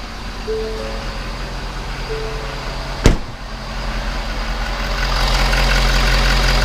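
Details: Ford 6.7 diesel F-350, an otherwise problem-free truck, started cold after DIY maintenance, before warming up for an oil change. It cranks, catches with a thump and settles into a steady, even idle with a low rumble; a normal start.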